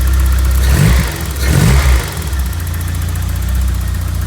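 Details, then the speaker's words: 1991 Vauxhall Nova GSi, off the road since 2005, cold start: steady low engine note with a couple of blips, settling to an even, healthy idle; slight smoke, and it seems low on fuel. "oh that sounds absolutely Sweet"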